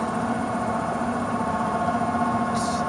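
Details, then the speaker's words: Existing furnace blower that slowed from high to medium-low on its own: steady droning hum with a rough mid-pitched whir, no speed change; badly worn failing blower motor, to be replaced. "started off on high now it's on medium low i got a strong feeling that in a couple minutes it's going to be on stop and oh that is the sound of a very bad blower so we are going to change that out"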